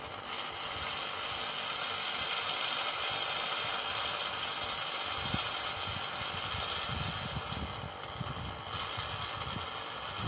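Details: Used refrigerator compressor bench-tested while drawing in refrigerator oil through the process pipe with the return line covered, after oil spilled when tilted: steady hum with fast, even ticking chatter over a hissy background; compressor runs normally.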